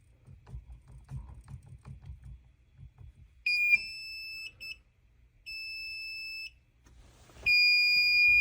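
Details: Fire alarm panel trouble signal: steady high-pitched electronic buzz in repeated one-second bursts, sounding because the CO device was accidentally disabled while changing device settings under the level 1 password.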